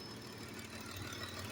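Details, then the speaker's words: Petrol engine after repair of a P0300 random/multiple cylinder misfire; idles quietly and evenly, with no stumble or skipped beats, now fully steady. "ما شاء الله ثابت اهو 100%"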